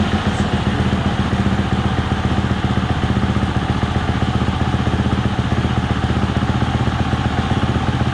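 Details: 2020 Husqvarna FE 350 (40 hours) after in-tank fuel filter replacement for bogging/stalling on quick throttle opening: steady, even single-cylinder thump at idle with no misses, surging or stumbling; engine running cleanly, idle may still need tweaking.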